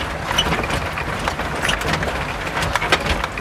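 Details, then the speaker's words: Used Suzuki FX test drive over potholes: sharp, uneven clunks and loose rattles from the rear at each drop. The rear leaf spring, roof or a loose body/suspension part is suspected; the front is quiet. "ये कड़क की आवाज़ आई है, जैसे आप सुन सकते हैं पीछे से। ये पिछली कमानी की भी आवाज़ हो सकती है, या छत की भी आवाज़ हो सकती है।"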